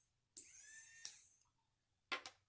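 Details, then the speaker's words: Small battery-powered DC motor from airboat kit, testing newly wired switch: thin high whine starts and stops with switch, then a brief second burst; running fine. "Okay, and I can turn it on and off, and the motor turns on and off"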